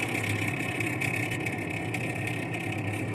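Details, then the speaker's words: GE top-mount refrigerator: loud steady whirring hum with a high whine from inside the fridge, from a failing evaporator fan motor; the fix is to replace the fan. "like we got a evaporator F going bad pretty simple to change actually"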